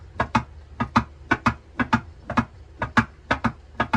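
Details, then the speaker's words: Wavetrac LSD installed in MK7 GTI 02Q 6-speed manual transmission, axle removed, diff rocked by hand: light paired clicks about every half second, normal end play checked before dial-indicator shimming. "So that is the play. You're going to want to make sure that the LSD is spinning, that there is some play before you move on to the dial indicator part."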